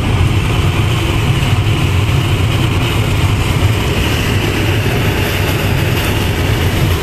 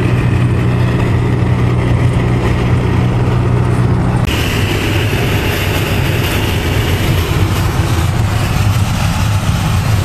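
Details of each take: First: Winnebago Lesharo (Renault-based van) at highway speed: steady rushing drone with faint constant hum; no air leak, the opening window's metal flange catches wind and resonates. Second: Winnebago LeSharo (Renault-based van) at highway speed after covering the front window-flange lip with black electrical tape on both sides: steady low road rumble, no whistling or rushing around the windows; wind noise fixed, quiet ride.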